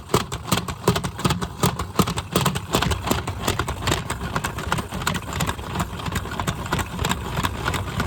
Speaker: Yeah, that sound happened because it was shaking, that's why.